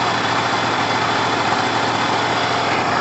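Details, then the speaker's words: 50cc two-stroke scooter with new carb, kick-started on flat battery, lots of oil so smoky, idling high until warm: steady, even buzz with bright crackly exhaust, no misses or knocks; running healthy. "Alright guys, so wrapping up, the battery is so flat it needs charging, but it starts on the kick and it sounds fine, and it should do every time. It sounds amazing."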